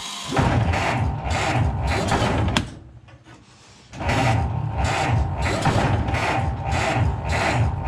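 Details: Ford Model T cold start on the electric starter: slow, uneven cranking, pause, then occasional near-catches without firing; owner suspects flooding, unsure if giving too much or too little gas.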